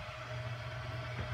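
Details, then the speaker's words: Bezzera Strega espresso machine after repair test, hot with full water tank, boiler drained: quiet steady low hum with faint constant tone as the boiler heats up normally, nothing irregular. "girl if you can hear this you can hear the Machine beating up"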